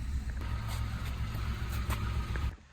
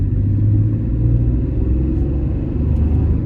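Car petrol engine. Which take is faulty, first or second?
first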